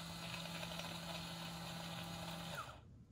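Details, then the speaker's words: Ultra Infuser making coconut oil: after heating to the set temperature, the inner blade rotates with a steady, even motor hum and whir for about 2.5 seconds; blade only runs to maintain temperature, normal operation. "you will hear the infuser start to heat up and when it reaches the set temperature the inner blade will rotate and sound like this"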